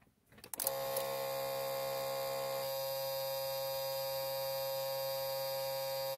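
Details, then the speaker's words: Isuzu Trooper / Holden Jackaroo / Monterey, 4JX1 engine, UBS73 chassis, new aftermarket alternator fitted: steady low buzz from the blue charge warning relay with key on before starting, engine not running; stops once the engine runs. "but the good news is it doesn't do it all the time it only does it when you turn the key on just before you start but once the vehicle is running it doesn't buzz"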